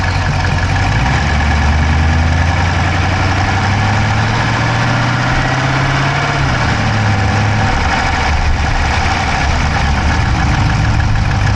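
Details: Dodge Charger Hemi V8 at steady idle, recorded inside the driver's-side engine bay: a rapid, light top-end tick keeping pace with engine speed. No exhaust smoke, so the owner doubts a dropped valve; cause unconfirmed.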